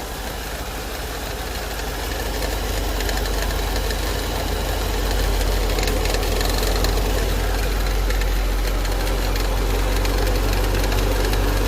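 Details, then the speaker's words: Infiniti M45 VK45DE: quick steady chatter about four beats a second over an even idle; noise persisted with suspected part removed, so traced to worn idler/tensioner pulley, replaced with a Gates unit. "so let me go ahead and just put this on there without this part because I feel like that's what's making noise see if that kind of stops it from making more noise"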